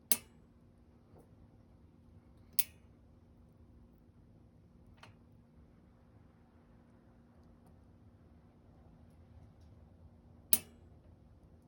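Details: SRAM SX Eagle bike drivetrain turning: sharp, isolated clicks every couple of seconds over a faint steady hum; chain clicking.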